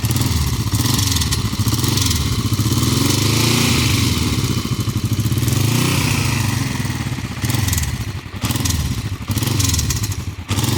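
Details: Hot 2008 Kawasaki Vulcan 500 LTD with 26,000 miles idles with a light, uneven clicking over its low, thumping exhaust beat; clicking only when hot, gone when cold or 5 minutes after a trip; oil level normal, no dash lights.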